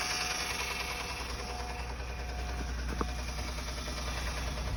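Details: 2007 Honda Accord, 257K miles; steady engine drone with a rough tapping knock, source unknown, timing belt tensioner checked tight and not failed.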